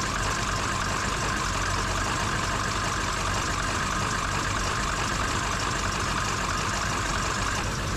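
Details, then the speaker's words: Ford Super Duty 7.3 Powerstroke diesel just restarted after ICP sensor and IPR valve replacement, idling rough with uneven lumpy beat under steady clatter; air in the high-pressure oil rail, should smooth once bled out. "how it's kind of running a little bit rough? That's most likely because there's a lot of air in that high pressure oil rail, so it'll have to get all bled out of there."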